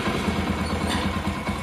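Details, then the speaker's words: Motorcycle engine after replacing the camshaft, cam chain kit, both rocker arms and the bore kit: a small single idling with a steady, even beat and no ticking or rattle; normal idle. "எப்படி இருக்கு பாருங்க sound பக்காவா இருக்கும் எந்த பிரச்சனை இருக்காது"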